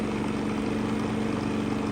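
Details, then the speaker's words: Genmax GM7500 iAED dual-fuel inverter generator (7500 starting/6000 running watts on gas), bought a couple months ago, at low idle; meter 15 ft off left side reads about 62–65 dB. Smooth, quiet, steady hum, even low note, no misses or knocks; normal idle. "decibels are coming in at around 62 to say 64, 65."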